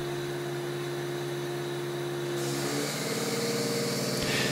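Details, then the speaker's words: Osminion Slim Mix water filter unit, about 4 bar line pressure, inlet flow throttled by slowly closing supply valve: steady pump hum turns rougher and hissier as the unit is starved of water; Fault indicator flashes with warning beep. "L'Osminion Slim Mix a un indicateur d'erreur, lorsque l'installation ne reçoit pas assez d'eau, elle fait ce bruit, et l'indication "Fault" clignote sur le panneau avant, accompagné d'un signal sonore d'avertissement."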